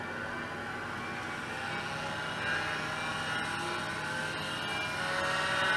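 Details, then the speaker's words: IBM PC AT 5170 hard drive spinning up: spindle whine climbing steadily with a rough gritty edge; rough, worn spindle bearings, possible head crash suspected. "those are some bad there there's some rough bearings in there okay it hasn't blown up that's a good sign and the hard drive spins this is good"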